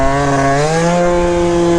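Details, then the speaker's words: Yamaha Zuma scooter, freshly built engine with new pipe during break-in ride: crisp, clean two-stroke buzz climbing smoothly under load, no bogging, misfire or rattle; well tuned, normal running. "Oh my god, this thing is so dialed, dude. This thing's gonna be fun to mess with, bro."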